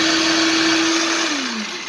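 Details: Philips 1600 W meat grinder: steady motor whine sags sharply in pitch as meat goes in, then the auger stops turning under load though the motor runs; gearbox teeth intact, slipping drive coupling replaced.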